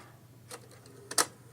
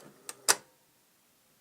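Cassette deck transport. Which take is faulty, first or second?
second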